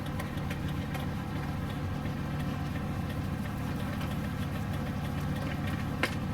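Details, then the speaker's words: Ford Excursion/Super Duty with non-LED bulbs, engine idling: fast, light flasher clicks quicker than normal as the left turn signal hyper-flashes once the tilt steering wheel is lowered; a loose connection in the steering column is the cause. "now let me show you what happens when I tilt the steering wheel the steering wheel is up in one notch down again and it starts to hyper blink and all the way down it's hyperplane"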